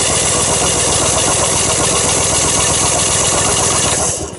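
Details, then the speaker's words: 1973 Belarus crawler tractor, 47 years old, spark check with fuel off. Steady rapid cranking, about four strokes a second, with no catch or firing; no spark. "Again. No. We've got no spark."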